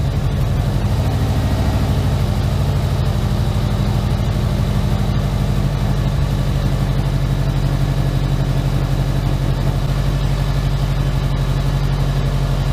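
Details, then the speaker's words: Subaru Impreza boxer engine rebuilt with SOHC heads, first start after over 2 years: steady low idle, smooth even pulse, no knocks or ticks; it smoothed out and idle just dropped, tach working, check engine light on. Normal idle. "To start with, but it's definitely smoothed out. I'm not gonna lie, this looks really good right now. It's running nice, idle just dropped."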